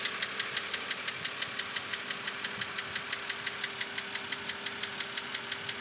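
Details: 2006 BMW Z4 3.0si idling with a sharp, light, very even tick about three times a second over a quiet engine hum; knock persisted after lifters were replaced, source still unknown.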